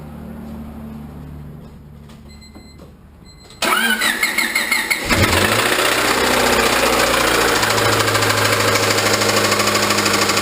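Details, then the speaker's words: Honda Civic D16Y8 engine cranks and catches, then idles with a quick, steady tapping knock, identified as rod knock; a new engine is being looked into. "yeah so you guys can all just obviously hear that rod knocking in there so we're gonna look into a new engine"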